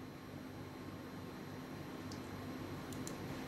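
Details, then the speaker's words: Newly built i7 9700F + RTX 3060 Ventus PC at first power-up with a freshly installed AIO cooler: faint, steady low pump hum with no high-pitched whine or rattle, the pump sounding like a normal AIO. "so as you can hear not making any high-pitched whining sound it just sounds it just sounds like an ordinary aia cooler the pump"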